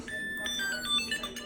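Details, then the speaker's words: Unactivated Tile tracker that plays a song after sitting for some minutes of its heartbeat chirping: a short chirpy tune of rising and falling high beeps in a quiet room. The tracker won't activate, and the replacement behaves the same. "this one just made a song it does that after so many minutes of sitting there after it does the heartbeat thing"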